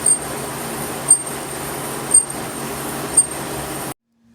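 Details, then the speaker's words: Toyota Sienna wheel turning in reverse after new brake pads: short sharp high squeak about once a second from a bent-in dust shield back plate rubbing the rotor; fixed by pushing it back. "guys so I found out what the noise was a screeching annoying loud whistling noise it looks like it was the back plate here so this back plate was bent in and it was hit in the back of the disc and it was screeching"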